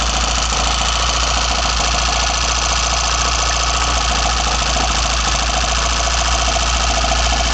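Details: BMW 318i M10 four-cylinder on first startup after fitting sidedraft individual throttle bodies: a loud, steady induction roar sits over an even engine beat with a faint whistle the owner notices, and it runs cleanly and normally.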